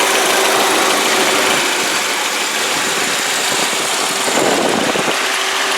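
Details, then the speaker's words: 2001 VW Passat, believed a 1.8 turbo four-cylinder, at idle with the AC on: a smooth, even idle hum with no ticks, knocks or belt squeal; engine sounds healthy. "Alright, and as you can hear, it's a good running car. There's not any weird noises or belt squeals or anything like that."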